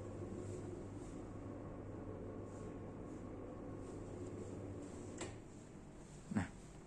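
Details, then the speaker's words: Widely sold motorized roller blind motor running up or down: fairly loud steady low hum, then a sharp click when it stops. "cukup keras ya Bunyi dengannya"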